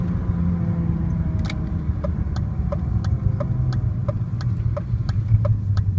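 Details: BMW E36 M3 at idle: deep, muffled droning rumble with a faint, regular tick about twice a second on top; the owner cannot figure out the source.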